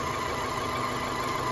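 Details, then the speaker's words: Rebuilt Opel Astra H 1.6 petrol engine with a smooth, vibration-free idle and a thin steady whistle from a faulty PCV valve in the valve cover, which needs replacing. "There is no vibration. Look, now there is a thin sound, the valve inside it is beating."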